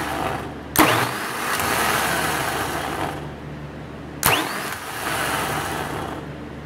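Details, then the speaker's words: 10-year-old starter from a 2008 MaxxForce 7 diesel, bench tested: two cranking bursts of rough dragging growl with a rattly edge instead of a clean whir; nasty worn-out starter, likely worn bushings, compared with new rebuilt unit. "you cleared up at the started out as when it's under load Krang the agent that's like Riley a nasty worn-out starter sound"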